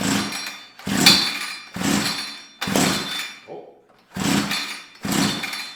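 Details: Tecumseh TC300 two-stroke Eskimo ice auger before ring replacement, pulled on the floor after WD-40 in cylinder: six slow pull-cord whooshes with no firing; low compression, spark plug also suspected flooded with WD-40.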